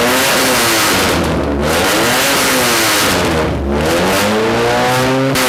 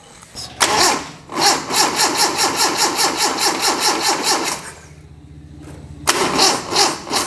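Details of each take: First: Budget rat rod truck after radiator leak repair, started a little warm with no choke and some throttle: revs climb and fall back smoothly with no knock or miss, noisy at idle; normal running, reached operating temperature with no leaks. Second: Budget rat rod truck, first restart after radiator leak repair: starter churns slowly, about two and a half turns a second, pauses, then drags again as the battery runs flat; slow cranking from weak battery, needs charging.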